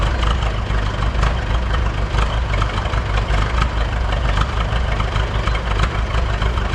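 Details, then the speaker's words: Buda D175 diesel forklift on 100% biodiesel, cold no-load idle just after start: low steady rumble with even firing, no stumbles; the cold miss it had since being put back in service is gone. "so that that's pretty normal where it'll miss when it's really cool when you first start it up but that exhaust will clean up here in about three minutes"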